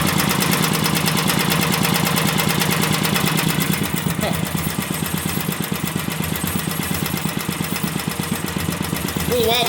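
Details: Vintage single-cylinder engine, a free neighbor engine just rebuilt and not run in 30 years, with its choke still unlinked, chuffs at a fairly quick beat that wavers a little in speed and strength. It is slightly wobbly but good for a one-cylinder.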